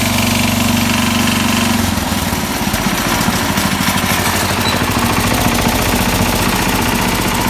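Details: 1969 SS12 Hydro: loud single-cylinder running with an intermittent, uneven knock about twice a second that changes with RPM and PTO engagement; cause undetermined, owner thinks a rebuild may be due.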